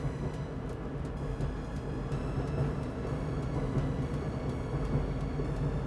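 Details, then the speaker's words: LG dryer after lint clean-out and squeaky rear roller replacement, reassembled and run on normal heat: even low rumble, soft tick about once a second, no squeal or scraping; sounds good, running normally. "Okay, so let's turn this guy on. We'll run it on normal so we can get some heat going through there. Sounds pretty good."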